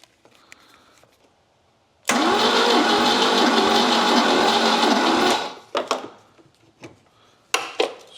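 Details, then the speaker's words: 1979 Volvo 242GT after 10 years in a barn, compression test with plugs out on a weak battery: even starter cranking near four beats a second with no firing. This cylinder reads a low 60, another reads 100. "There is a bit of air coming out of there, but we are getting compression. 60's not a lot."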